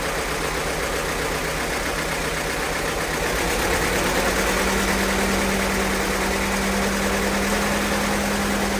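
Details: 1952 Case DC tractor with good oil pressure, warming after a cold start at about 42°F: runs smooth and even, picking up slightly partway through and holding a steady beat; a healthy warm idle.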